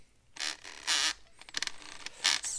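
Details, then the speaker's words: Axial Capra UTB18 1/18 crawler just upgraded to four-wheel steering with dual Reefs RAW500 servos: intermittent scratchy rasping as it steers, from wires rubbing on the outrunner motor; fixed by tying the wires up inside. "like I got something rubbing in here. What's going on in there? Oh yeah, yes, crap, I've got wires rubbing on the outrunner."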